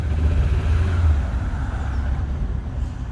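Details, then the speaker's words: Car suffering a sudden illness, restarted during diagnosis: uneven, lumpy idle pulsing about three beats a second, running worse than before; misfiring and rough, owner suspects a failed coil pack. "A lot worse. That sounds like a failed coil pack now."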